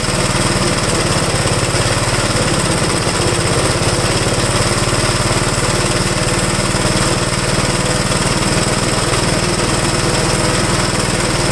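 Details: Restored 1969 Gravely single-cylinder tractor, no governor, started choked at about half throttle: loud, steady putter at fast even speed, no misses or rattles; normal running.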